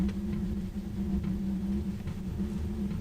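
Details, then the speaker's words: Van heater in extreme Arctic cold after repeated failed starts with E8 errors. A low steady rumble with a faint hum as the burner seems to catch, even before fuel pumping began. Owners suspect warmed glow plugs or residual fuel. Not confirmed. "Kind of sounds like it caught. I think we're good, I think. It's weird because it caught before it even started pumping fuel."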